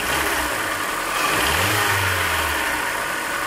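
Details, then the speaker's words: Hyundai Elantra 1.8 engine, about 69–70k miles, cold idle: quick light ticking roughly four per second, swelling slightly with a blip, louder when cold; owner suspects piston slap, oil change improved it. "We put less than 3,000 miles, and that thing developed a ticking noise. So let's start it now, and I'm going to show you what it is."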